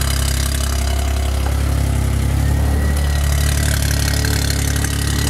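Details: 1990 Geo Metro 1.0 three-cylinder, almost 22 years old, from Ohio, cold start: low, steady three-cylinder thrum with no knocks or misses. Normal, even idle; the engine still runs perfectly.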